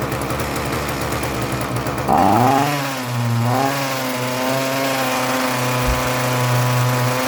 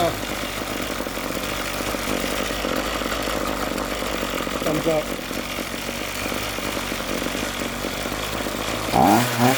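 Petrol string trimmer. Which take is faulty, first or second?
first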